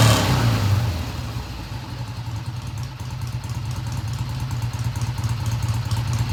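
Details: 1971 Triumph T120 twin, first start after repair work with valve clearances just set: starts at a slightly fast idle, then drops into a steady, even low beat with no knocks or misses. Healthy idle; no tach is connected.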